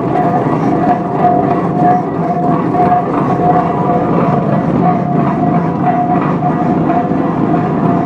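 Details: 1917 Minneapolis 40-80 tractor running for the first time after rebuild: slow, even firing over a steady low drone with a faint ringing tone, no knocks or misses.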